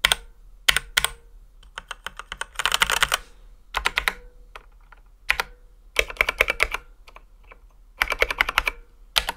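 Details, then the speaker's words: Ducky x HyperX One 2 Mini mechanical keyboard, stock before modding and lubing: sharp high-pitched clacky keystrokes with sharp top and bottom out and a faint metallic ping; stock unlubricated switch ping and scratch. "it is originally the cue presses were quite high-pitched with a sharp top and bottom out sound keep in mind that the key caps also contribute to this bit too and there was also a bit of metallic ping before but that wasn't super audible"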